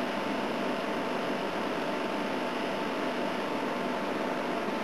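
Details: A/C unit on high fan, starting to freeze up, with head pressure: steady even whoosh of fan air with faint constant hum, no cycling, rattles or knocks; running normally.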